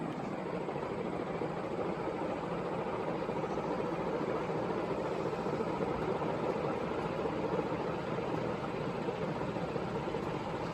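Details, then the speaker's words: Carroway EF300 56-inch industrial ceiling fan, slow to accelerate, now holding high speed: steady even whoosh of air with no ticking, rubbing or wobble. Normal high-speed run. "and that's um that sounds like it's about high now to stop accelerating so I think that's good"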